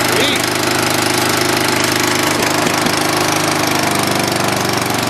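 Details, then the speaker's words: Dynamark riding lawn mower, long sat, with carburetor cleaned, fresh gas and patched tire tubes: small single-cylinder engine fires up and runs steadily at fast idle, even beat, no misses; normal running. "well perfect I was worried there for a second but looks like it runs fires up"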